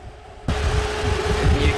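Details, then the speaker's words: 2018 Cadillac XT5 running hot with the AC not working: a loud, steady rush from the cooling fan at full speed over the idle. A new dealer temperature sensor did not fix it; the thermostat was bad and was replaced. "can hear the fan is cranking like crazy. So we heard the problem can be with the temperature sensor, which we did swap the brand new one, dealer one, and the problem still didn't went away."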